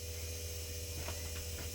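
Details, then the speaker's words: Jaguar XJS V12 project after reinstalling the fuel pump relay, which was pulled earlier to crank without flooding: steady low electric hum from the fuel pump priming, expected to cut out shortly. Normal. "So there's the fuel pump cutting in. Should kick out in a minute. Should do."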